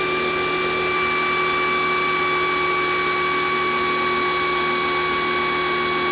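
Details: Kioles 3000 psi electric pressure washer on second use: steady high-pitched whine that never cycles off; motor runs continuously, weak pressure, owner suspects defective power switch.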